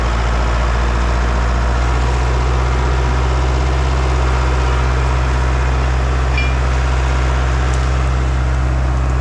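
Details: International 125E power-shift track loader diesel, sat about 10 years; deep steady idle with even rumble, no knocks or stumbles; normal idle.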